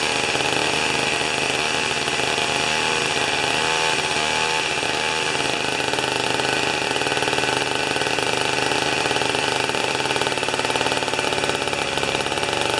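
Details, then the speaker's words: Old two-stroke snow thrower, revived after years of sitting, with the mixture adjusted: a fast, crisp, steady buzz like a little dirt bike, no misfire; mixture sounds right. "kind of sounds like a little dirt bike isn't it"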